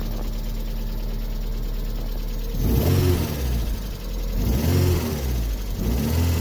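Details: 1998 MGF first run after a few months off: uneven idle rumble, then two sharp revs with a rough, booming low note rising and falling; abnormal engine noise, cause unclear.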